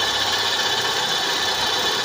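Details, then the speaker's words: Mitsubishi Lancer, after no-start fixed and high-tension wire replaced: idle with steady hiss and rough scraping edge, no clear knock rhythm; mechanic suspects front pulleys or alternator, unconfirmed. "Yung maingay. So either sa mga pulley or dito sa kanyang mga alternator at"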